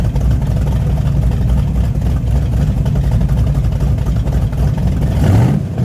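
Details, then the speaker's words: Hot rod racing lawn tractor with used spark plugs, one plug wire touching the exhaust header and raw fuel smell: deep, lumpy rumble with uneven beat when revving; sounds down a cylinder, cause unconfirmed. "sounds like it's down a hole but I got spark plug wires I got one of the wires like right up against the header sounds like it might be down a cylinder"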